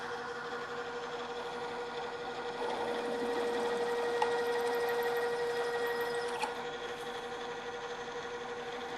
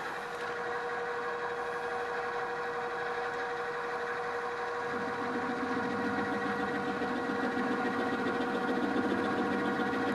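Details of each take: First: Drill press stepping up toward a 1-inch hole with a half-inch drill, rerun at lower speed after chattering from running too fast: steady motor hum and even cutting tone, drill cutting smoothly without chatter, backed out periodically to clear chips. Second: End mill held in a drill chuck on a drill press: steady motor hum turns rough once the cutter bites, with rumbling chatter and a buzzing undertone, leaving surface irregularities of about ten thousandths of an inch.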